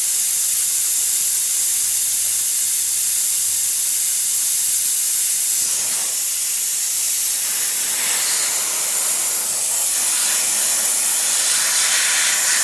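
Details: Husky air compressor: steady, unbroken high hiss of escaping air with the motor off, an air leak around the pressure switch; cause suspected, not confirmed.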